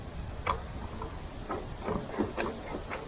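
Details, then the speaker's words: International B414 four-cylinder diesel tractor sitting rusty by a pond for 20 years: several sharp irregular clicks a second apart, like a relay snapping in and out; owner thinks it's the glow plug contactor, unconfirmed. "so that's I'm pretty sure that's the glow plug contactor there see what happens"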